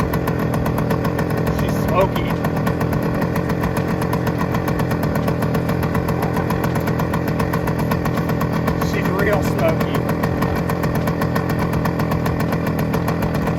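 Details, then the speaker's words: 1971 Suzuki TS185 two-stroke, first start after years sitting, cold and on choke, won't come off choke yet: fast uneven idle with sharp puffing rattle on each firing stroke, very smoky; exhaust leak confirmed. "Smokey that sounds [Music] good that sounds really [Music] good exhaust Le for sure exhaust Le"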